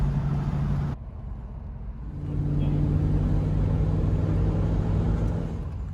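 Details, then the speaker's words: Triumph Stag V8 on a road drive near Winkton, Christchurch: a deep even drone rises smoothly as the car pulls away, with no knocks or misses; the engine runs healthy. "just listen to that engine reverberating"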